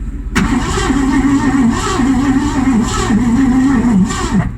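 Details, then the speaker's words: 1984 Mazda RX-7 with a Ford 302/5.0 V8 and C4, sat for nine months: the starter turns the engine over with a sagging, wavering pitch and no firing. Battery voltage bleeds from below 12 V toward 7–8 V, too low for spark. Crank, no start, weak battery. "I only get a few good seconds of cranking before this drops below 12 and it's probably not putting out any spark so you know it just kind of turns the engine over and doesn't really do anything"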